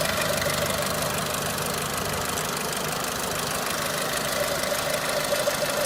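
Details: Renault Clio 3 1.4 16V four-cylinder at idle with a light, uneven tapping of about three per second over a thin, rattly running note; engine knocking, cause unclear.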